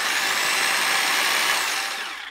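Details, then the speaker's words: Kango 426 110 V 600 W SDS hammer drill after a new 629zz bearing and reattaching the detached armature cooling fan that caused overheating: smooth, even high-pitched whir at full speed, no rattle or grind, clean spin-down; fan turning freely, drill healthy. "let's see if you can see this but means the Fan's working turning freely so all great"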